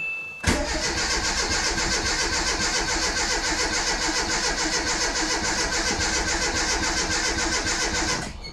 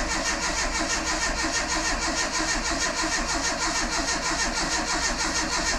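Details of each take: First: Renault Super 5 after 1.5 years of restoration and engine rebuild, first start, choke working: catches and runs a fast uneven chuff for several seconds then cuts out; fuel circuit needed refilling, starvation suspected, not confirmed. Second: Renault Super 5 after engine rebuild, first start attempt with ignition not fitted and carburetor not set; even starter cranking with no knocks or clatter, normal; sump oil leak noted.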